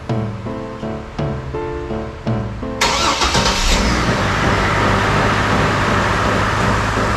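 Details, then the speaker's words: 2005 Chevy Trailblazer 4.2L after replacing the spark plugs with AC Delco double platinum 41-834 gapped 0.043: short crank, then the engine catches and settles into a smooth, even idle, no longer clicky-clacky; running healthy. "Sounds good. Sounds better. Actually doesn't sound all clicky, clacky."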